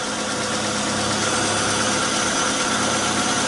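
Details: 2012 Fiat Uno Fire at idle with timing belt one tooth off, injection light on, manifold pressure and engine load above limit, 6.56 ms injection time; uneven, labouring, hissy idle with irregular stumble.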